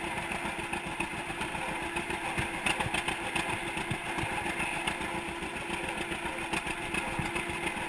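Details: 1942 John Deere Unstyled A conversion, engine formerly stuck, on its first start after new spark plug wires (GoPro in waterproof case): loose, uneven two-cylinder popping with a rattly top end, running steady on its own; sounds healthy.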